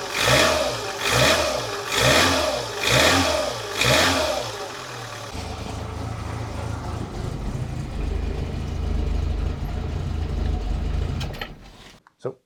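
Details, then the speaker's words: 1985 Lancia A112 Abarth, 1050cc Fiat engine, after cap and rotor service, running slightly rough while cold: revving in pulses brings a dry, diesel-like tick that sharpens as revs climb under load; cause unknown. "the sound i was trying to record is most uh is most audioball when i rev it when it goes up in the rev range under on the load from the engine i don't know if it picks up i hope it will the best description that i can think of is is that it sounds a little bit diesel engine like"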